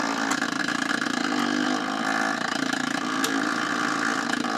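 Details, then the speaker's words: Old kids' phonograph powered up for the first time, with its tube missing; a constant rough, scratchy drone with a faint whir comes from the mechanism, not the speaker. The motor is suspected to be rubbing on its bottom bushing, possibly a loose bushing. "It's a motor issue. So like it's rubbing on the bottom bushing."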